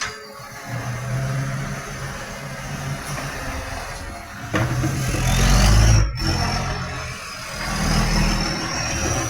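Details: Tweed garbage truck 3218 with a massive exhaust leak: a loud, raspy diesel rumble with a rough puffing edge that swells as the revs rise.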